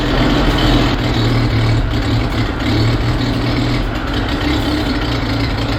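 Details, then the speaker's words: Carbureted, points-ignition Jeep after a condenser change and tightening of all electrical parts and grounds; deep uneven idle that lurches and stumbles, no better and arguably worse; ongoing misfire, cause unknown, suspected timing. "No difference. Arguably worse, which doesn't make any sense."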